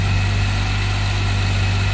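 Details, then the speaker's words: 2015 Jeep Wrangler JK 3.6 after idler pulley replacement that cured a loud whine; smooth, even idle with steady low hum and no whine or squeal from the belt drive; normal idle. "let's start it up and see how it sounds real nice the wine is gone"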